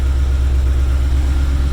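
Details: 1994 Chevrolet Caprice Classic LT1 that sat about 10 years with gelled old gas not getting through the injectors; octane booster added and got it running: deep steady drone with revs propped up above idle to keep running; stalls at idle from stale fuel.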